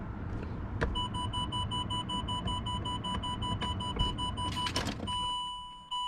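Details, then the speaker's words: Land Rover Discovery 3 / LR3 electronic park brake, long non-working, switch flicked up: steady pulsing warning tone near one kilohertz over low rumble keeps sounding; park brake fault warning. "So you just want to flick it up, you can hear it making. That's what happens when it doesn't work."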